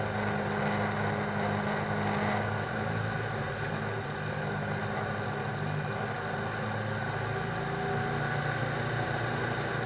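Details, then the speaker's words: M35 deuce-and-a-half with REO Gold Comet 331 CI engine, warm, driving: steady low drone that sags and loses strength before stalling with smoke; blown head gasket leaking oil into cylinders. "i made it almost back to the parking spot when the truck really lost power i put the clutch in and coasted to a stop the engine stalled and that's when i saw the smoke"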